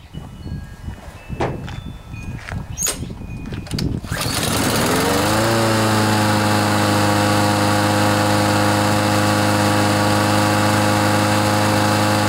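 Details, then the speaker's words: Troy-Bilt TB130 mower with Honda engine, after fixing water in fuel and cleaning the carburetor, governor spring tightened with pliers to raise revs: a few pulls, then it catches and holds a steady even drone at higher speed; normal running speed. "can you tell the difference I think that's going to work a lot better"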